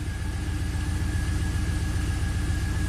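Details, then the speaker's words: 2004 Pontiac GTO 5.7 LS1 V8, 6-speed manual, 34,000 miles, misfiring and running rough: lumpy, uneven idle with a regular stumble about four times a second; misfire counters for cylinders 1 and 8 counting up, feels like a single cylinder. "So let's start it up, see what it does. It's definitely misfiring. 1/8's counting up. One and 8. It does feel like a single cylinder."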